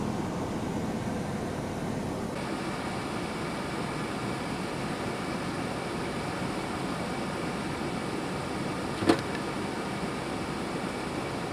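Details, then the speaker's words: 1996 Chevrolet Blazer V6 idling after a jump start: quiet, even idle hum with no ticking or exhaust puffing; runs smoothly with no exhaust holes. "Yeah, this thing's running good. It's quiet. Doesn't sound like there's any, holes in the exhaust."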